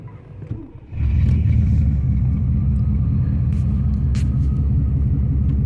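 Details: 1991 Camaro RS 305 V8: deep, lumpy rumble that stumbles unevenly as it's revved. Rough running from bad injectors and a blown head gasket; the engine overheated quickly.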